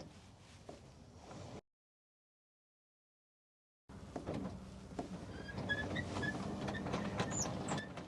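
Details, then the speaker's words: 2024 Tesla Cybertruck powered tonneau bed cover opening: low motor hum with faint short high-pitched squeaks as it retracts. "As you can hear, that's definitely squeaking just a little bit."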